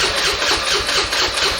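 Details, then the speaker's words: 2015 Suzuki Address 110 scooter after a new fuel pump was installed and the line bled of air. Steady cranking churn at about four pulses a second with no stumbling; the new pump is feeding fuel properly. "now that everything's back together again when I turn on the key you're going to hear the fuel pump fire up"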